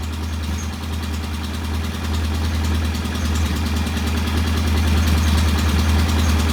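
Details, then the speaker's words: Norton P11 twin motorcycle, competition bike, first start after repair: even steady idle set at about 1,000 rpm, low regular beat with no misses or knocks; sounds healthy. "All right, that's a very nice uh,000 RPM idle. I'm going to leave it there."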